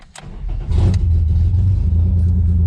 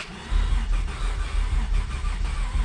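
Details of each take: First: 1991 Ford Scorpio with 2.9 V6 Cologne engine, standing about 15 years, no exhaust fitted. Catches after a short crank and settles into a loud, uneven open-pipe idle that keeps running; rough but apparently firing on all six cylinders. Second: 1991 Ford Scorpio 2.9 V6 Cologne, sat long unused, boosted with second battery: starter turns engine over steadily but never fires; no spark suspected.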